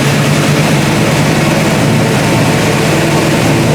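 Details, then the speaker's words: AMC Javelin just after relocating the battery to a trunk battery box, paint burning off the headers: loud dense engine roar at steady pace, no knocks, misses or ticking; normal healthy running. "And we'll give it a whirl. All that paint's burning off them headers, but have a listen here."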